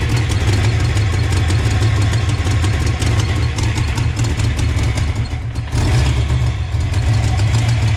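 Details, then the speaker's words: 1988 GT V8 with Trick Flow top end, timing set, new fuel filter, fresh gas, swapped A9L PCM: low loping idle with a periodic stumble. One cylinder misfiring, cause unknown; injectors and valvetrain are next to check. "all right boy so we still have no answers on why we're not getting fired well we've got a misfire at the cylinder"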